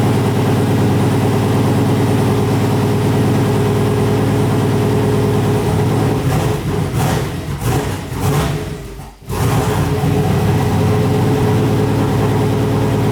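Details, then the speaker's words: Freshly built turbo 6.0 LQ9 V8 Silverado, first start on Holley setup wizard tune with wrong injector data and MAP sensor taped: loud fast lumpy idle dipping then settling high. "The idle was really high."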